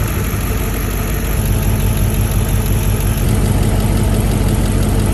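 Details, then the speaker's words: 1995 Mercedes S500 (W140) V8 at idle: deep beat with a faint occasional stumble, a slight miss; spark present at every plug wire, fouled plugs suspected, cap and rotor to be cleaned and plugs replaced. "But you can tell the engine is slightly missing. It's running great, but it definitely has a slight miss."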